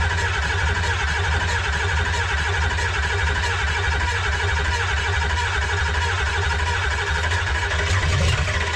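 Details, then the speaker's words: 2005 Ford F-250 with swapped-in 6.0 Powerstroke diesel, first start with only essentials connected: steady deep diesel rumble with even beat, no stalling or hunting; normal running. "We got it running, so that's good. We lucked out here. That's pretty good."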